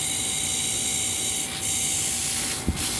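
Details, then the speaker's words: Small compressor converted to a pond aerator, air blowing from its exhaust (pressure) port with the other line as intake: steady hiss of escaping air over a constant hum. Pumping air normally. "this one here will be the exhaust which means it's blowing pressure and actually you could get a lot of pressure over these suckers here"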